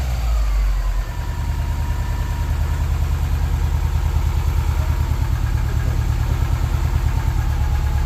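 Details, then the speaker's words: Subaru 2.5RS rebuilt engine, first run after reinstall, warming up, radiator not yet refitted: after a brief rev settles into smooth even idle with steady low pulse, no ticks or knocks; normal idle. "well it is actually alive and sounding really good so far so heck yeah"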